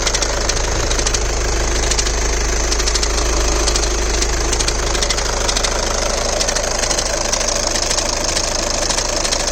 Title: VW GOLF MK7 2010 AUTOMATIC CLICKING NOISE AT COLD START -LOOKING FOR SUGGESTIONS.